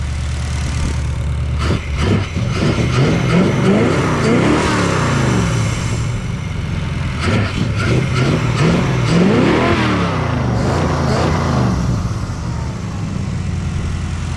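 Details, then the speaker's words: 1966 Ford Galaxie V8 with EFI and six-speed swap, first start, fuel pump not running, headers burning off: lumpy, uneven idle with wandering, hunting blips; ignition timing is a little off and wiring still needs checking. "Baby, the timing's a little off and for some reason it's not running the fuel pump. So, I got a little bit of wiring to check out, but the idle sounds nasty."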